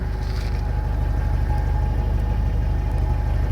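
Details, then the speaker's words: Mercedes SLK 230 idling after an exhaust leak near the rear muffler was sealed (extra muffler and steel wool added earlier): a steady even low exhaust pulse with no hiss or puffing between beats. Leak noise gone, normal idle. "okay we have no leaking sound anymore I think this is good now"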